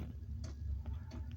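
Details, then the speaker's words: Boat diesel heater cold start in cold weather after long disuse: light regular ticks about every third of a second over a low hum as dosing pump starts, taking about a minute, slower than usual; normal, before heater roars. "Yeah, the pumps just started ticking now. Must have took about a minute before it quit. Normally quicker than that, but it is cold."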